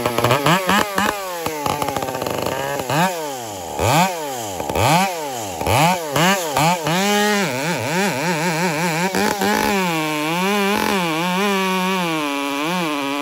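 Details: Piped Dolmar 7900P chainsaw at light throttle: revs surge and sag unevenly, pitch hunting, a lean bucking stumble; owner suspected carb starving, but it was fixed without opening the carb.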